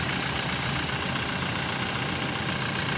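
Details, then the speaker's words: 2018 Toyota Hilux just restarted after a four-day no-start traced to the IVMS sensor, whose rubber/bracket no longer reached it, with the relay restored; steady, fairly loud idle with a hissy top end, no knocks or misses: normal idle. "Okay guys, sumandar. Sumandar na siya."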